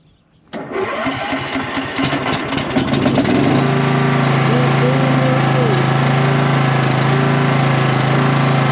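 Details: Cub Cadet tractor after battery reconnected and starting fluid sprayed in carburetor: engine catches after a brief crank, settles into steady, even idle, no misses or knocks; normal start and idle.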